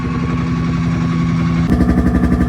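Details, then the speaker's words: FV432 APC running for the first time in 13 years, diesel, idling while it warms up: lumpy, uneven idle with a loping, pulsing beat instead of a smooth run; an injection pump element is out of timing. "Doesn't sound quite right to me. That could just be being weird, but I don't think that's running quite properly."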